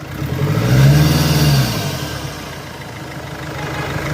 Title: Barulho ao acelerar Nissan Frontier